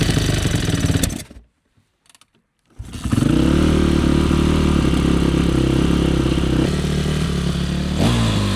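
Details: Yamaha YZ450F single, first start after oil change and carburetor cleaning, with choke on and idle raised: fires after a short pause and holds a steady, slightly raised thumping idle; normal idle.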